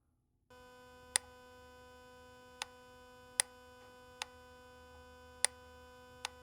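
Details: Mitsubishi Pajero with P2009 code, new solenoid valve fitted, ECU active test with microphone next to the solenoid; sharp single clicks about every second over a quiet steady hum, crisp and consistent; normal solenoid clicking, new part solved the fault.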